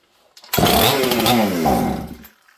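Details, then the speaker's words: Old 200-series (266) chainsaw from a junkpile, choke pulled, a drop of fuel primed, no handle fitted: catches with a ragged two-stroke buzz under two seconds, then dies; fires briefly on the primed fuel. "Well, that's a good sign, isn't it? So all it did there, it flashed up on that little bit of fuel that I put into it. So right there, you know that this thing wants to run."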